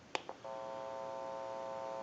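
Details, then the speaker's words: Western Electric Trimline telephone after repair, final checkout: two quick clicks then a steady, even dial tone via an amplified pickup, whose open amplifier adds a faint electrical hum; line sounds normal. "It has a button on it, and I can press the button and give dial tone or take it away at any time."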